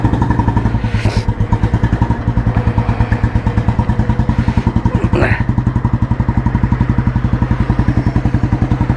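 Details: 1986 Royal Enfield Bullet restored, heavy-crank engine with Indore silencer and 3-plate clutch, just started: slow, even single-cylinder thumps through the exhaust, steady without clatter or misses; healthy normal idle.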